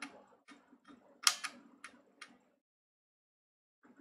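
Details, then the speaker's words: Thrift-bought Nintendo Wii with disc inserted, switched on: disc drive clicks sharply about twice a second without settling into a read. "I'm just going to press a check and you Jake was the side so you can hear the machine clicking"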